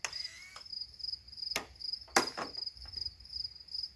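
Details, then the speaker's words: Robart pneumatic retract landing gear on a model plane with an OS 61SF nitro engine, air tank up to 80 psi: sharp metallic clicks a second apart as the gear locks in the up and down positions. Clean, healthy latching. "so you're hearing them lock and unlock locked in the out position locked in down position"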